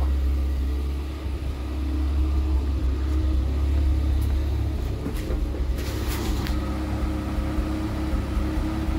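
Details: 1975 Vauxhall Viva barn find, which had been sitting a while, started on choke: a steady, even low rumble with no knocks or misses and only small level swings. Normal smooth idle.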